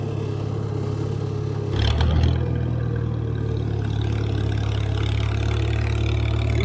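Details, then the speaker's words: IH McCormick Farmall 350 tractor running on unleaded gas to charge the battery. A low, steady hum shifts briefly after a throttle blip, then settles with a faint rise and fall as the governor works the throttle. This is normal governor hum at idle. "my 756 was like that and interestingly enough the uh 756 motor had a little bit of a hum just like this one"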